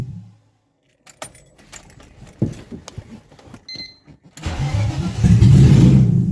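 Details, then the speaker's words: BMW E36 2.8L with ZF 5-speed, first start after engine and gearbox refit: keys rattle, then engine catches into a loud lumpy uneven idle; no MAF yet, vacuum line now connected, cause not confirmed. "a bit rough there's no math there's a vacuum light now connected"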